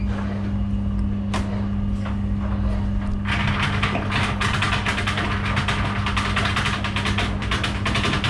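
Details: Washing machine steady motor hum, then a fast irregular metallic rattle from coins caught in the drain pump impeller.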